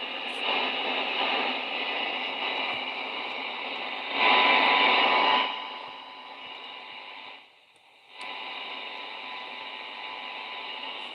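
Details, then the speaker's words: Pocket radio under repair, after raising the current limiter, with a 0 dB test signal: constant hiss and a faint steady tone that briefly drops out. The IF is getting through, but very, very weakly. "Well, as you can hear, the IF is getting through. Just very, very weak."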